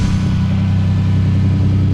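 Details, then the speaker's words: 1988 Camaro RS after sitting over a decade, with its fuel system redone and a new exhaust tip: deep, steady, even rumble with no knocks or misses. It doesn't quite sound like a V6 and runs better and better. Normal idle. "Running pretty good. We gotta cut that tip so it don't stick out so far, but I think that was a good choice. It gives it a little rumble."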